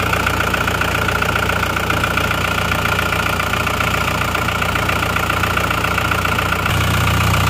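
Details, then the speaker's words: Diesel car not run for 3 years, idling after restart with coolant topped up; steady even clatter, no misses or knocks, no smoke showing no blow-by; normal idle. "ini Aman banget ya mesinnya lihat ini biasanya kalau mesin ngobos ini sudah keluar asap ini kok enggak ya jadi Insyaallah ini mesinnya oke oke saja ya"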